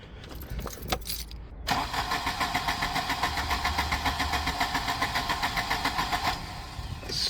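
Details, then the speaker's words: Volvo 240 with K-Jetronic fuel injection: even starter churning at about 3.5 beats a second, never firing. Cranks without starting because fuel is constantly leaking and flooding the cylinders with too much fuel. "nothing weird there's our culprit it's flooding the cylinder with uh way too much fuel I don't know why it's doing that"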